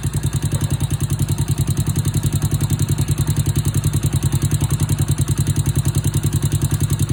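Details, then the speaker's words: Honda Wave 100/C70/Wave 125-type motorcycle idling after new cylinder, piston, rings, cam chain, tensioner, guides and oil pump gear: quick, even ticking over a steady idle thump from the top end, valve tapping from loose valve clearance before adjustment. "Hโอเคเสียงที่ได้ยินแต๊กๆๆๆๆเป็นเสียงของวาล์วนะครับเดี๋ยวขออนุญาตตั้งวาวสัก"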